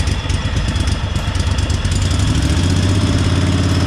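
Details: 1998 Craftsman GT garden tractor V-twin, started with the choke on after only fresh gas and a different battery: an even, loping low putter at idle, unbroken with no knocks or misses, like a Harley V-twin; a healthy, smooth idle.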